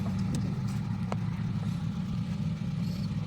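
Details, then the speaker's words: 2006 Honda City that stalled at idle, especially with AC on, after installing IAT sensor and clearing check engine light: quiet even idle hum, no misses, hunting or dips; stable normal idle. "ayan, tahimik naman yung andar. Okay naman yung idle, stable."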